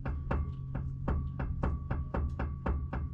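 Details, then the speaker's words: 2004 Chevrolet Silverado on jack stands, front wheel rocked by hand before repair; sharp hollow clunks about twice per second from play; worn inner tie rod. "but here's the symptom here. That should not do that at all."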